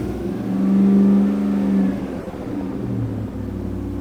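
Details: Land Rover Defender 90 with Chevy L83 V8 swap: after a blip the idle drifts and dips instead of holding steady; CAN signals read okay but some signal corruption suspected, cause not confirmed.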